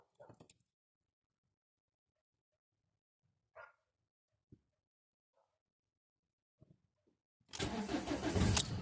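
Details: Ford Mondeo Mk4 1.8 TDCi diesel, cold start: long quiet crank with only faint clicks before the engine finally catches and roars into life; hard cold start.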